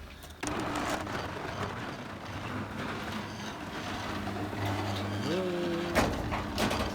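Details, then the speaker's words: Garage door opener after a DIY repair, owner suspects wrong alignment: steady motor hum, then the tone strains upward instead of cutting off, ending in a clunk. The door overruns closed, with the bar not hard up against its stop. "you can see there the door has kept on going so you can see here that the this bar here should actually be hard up against this part"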